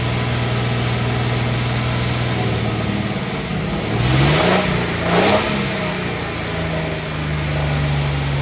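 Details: Van engine idling steadily but fairly fast, swelling briefly with two blips, then settling back slightly high. The owner attributes the high idle to an unresolved EVAP problem: an intermittent EVAP code appeared, the gas cap checked OK, and no vacuum leaks were found.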